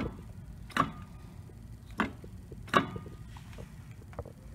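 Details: 1999 Mercedes S320 W140 in neutral: sharp single clicks, irregular and a second or more apart, as the driveshaft is turned by hand at the front flex disc to the transmission, which also clicks on gear changes; worn flex disc.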